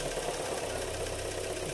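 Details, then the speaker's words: 2015 Kia Sorento with a 2.4 G4KE petrol engine under light throttle: a steady, rapid low knock, suspected to be the piston striking the cylinder head (rod bearings not spun), possibly from oil starvation; engine to be removed to verify. "газу добав слышите скорее всего поршень Ну Шатун стучит точнее на шты не прокрутил вкладыши а поршень стучит об головку блока цилиндров"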